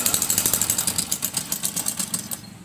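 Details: Suzuki Access 125 scooter with a no-start from low compression, after the head was opened and tight valves were loosened and adjusted: small single-cylinder buzz with quick, even pulses and a bright, tinny exhaust note, no stray knocks; runs healthy.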